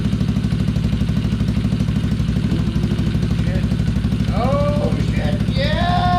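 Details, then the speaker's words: Small single-cylinder gas engine in a Power Wheels Gator build, first start after a new coil bracket and carburetor adjustment: quick, even popping at a steady idle with no misses or knocks; sounds healthy. "Oh, it's running. Oh, no, it sounds healthy. Oh, it sounds cool. That is running. And idling."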